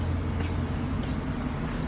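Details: Chevy Silverado 1500 5.3L Vortec V8 4x4 at idle: deep, slightly uneven loping rumble with flashing check-engine light; misfire traced to very low compression on cylinder 4, with a rocking sound suspected from that cylinder's hydraulic lifter.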